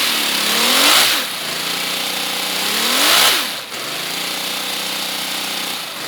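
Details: Miniature inline-6 air engine, pressure turned up toward max: fast hissing chuffs sweeping up and down in pitch as air pressure varies, spinning freely with air leaking from unsealed exhaust ports; normal running.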